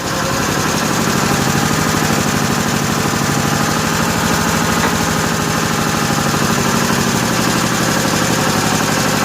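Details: 1955 Cushman Truckster after the fuel line was blown out with a long nozzle, idle setting unknown; steady, even single-cylinder putter at low idle with no misses or knocks, no smoke, quiet through a homemade EMT-conduit exhaust: healthy idle.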